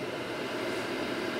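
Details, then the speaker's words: Vehicle heater blower motor at 12 V after replacing its bearings with Japanese EZO 625Z (5x16x5 mm) ones: smooth even whoosh with no ticking, grinding or squeal; normal fan note, earlier diesel-like vibration noise gone. "it should sound more like this but it does just sound like a fan running note which is what you want"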